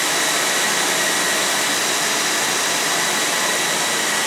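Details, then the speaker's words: Vintage MediaCube nCube 4 server powered on: steady, very loud rushing fan roar with high airy hiss and no dips, measured about 80 dB on a smartphone; normal loud fans at power-on. "I must say that's that's quite loud."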